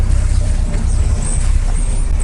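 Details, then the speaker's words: Boat inboard diesel idling after about 10 minutes of running, first run in about two weeks, a little smoky, no fumes smelled: a steady low thrum with an even beat and no knocks or squeals; a normal idle. "it's been running for about 10 minutes the engine can't smell any fumes so they must be going back I must be going back into the engine and coming out the back it's a little bit Smokey but I haven't run it for about 2 weeks so"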